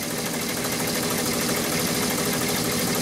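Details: 2004 VW Touareg 3.2L VR6 with misfire codes on cylinders 4, 5 and 6 and injector shorts, coils unplugged: uneven, lumpy stumbling idle under a hiss, running on half its cylinders; the cylinder 5 coil blows the fuse.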